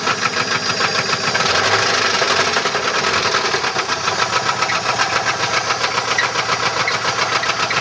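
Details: 1994 Chevrolet LT1 V8 running with a fast, rough, fairly steady ticking knock over the engine note; rod knock from a bent connecting rod.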